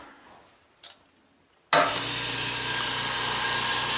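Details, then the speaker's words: California Air Tools 5510SE 5.5-gallon 1 HP oil-free compressor, starting from 0 PSI and filling toward about 100 PSI: quiet room, then an even, steady hum and hiss with no knocking or rattles; normal running. "it's got zero PSI in there so it'll pump all the way up till it gets to about a hundred and I am having to raise my voice a little bit so you guys can hear me but if this was a traditional air compressor there's no way in heck you would be able to hear my voice over the noise the air compressor"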